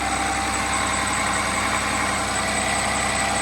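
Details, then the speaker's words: Cummins 6.7 turbo diesel test engine running on HythanolPLUS fuel, under a minute after start at 149°F drop temperature, fuel flowing in return line: even, steady idle with a smooth hum and no knocks, misses or hunting; healthy idle. "fuel is still flowing in the return fuel line i actually smelling the sweetness of the biodiesel or the hyphenal plus it is working"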